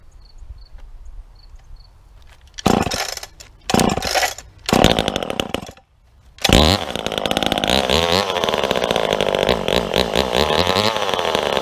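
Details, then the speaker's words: Homelite XL76 chainsaw, market find, just sharpened, bucking a big log: blips unevenly a few times, then settles into a steady wailing cut; running rich on the low side and loading up at idle; low-speed screw possibly opened too far and needs turning in slightly. "That first cut I had, it was a little rich on the low, because as it sat there and idled, it started to load itself up. That means your low screw could be opened up too much."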